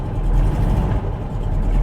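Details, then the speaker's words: Porsche 912, after work on the Bosch distributor's stuck vacuum advance: a deep, slow, lumpy idle with the beat sagging now and then. Idle is now too low and near stalling; earlier the problem was a warm idle going too high. "okay so i've done some work with the distributor not very good work it's quite bad work it's idling really low now i think it wants to stall"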